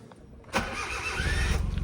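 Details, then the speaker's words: 1998 Suzuki Jimny (import-legal, 4WD, clutch possibly worn) at a Japanese auction: a short, buzzy electric-sounding whir while cranking, then the engine catches into an uneven low idle; unusual starting noise, cause unclear. "Whoa, that sounded electric. What the hell? Did you hear that?"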